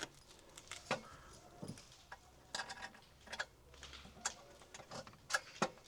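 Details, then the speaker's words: Worn alternator removed from a 2009 Mk1 Ford Transit Connect that was making strange noises, hand-spun beside a new unit: irregular light rattles and clicks, something loose inside. Worn alternator bearing. "You can just instantly hear that something's gone. There's something moving around in there."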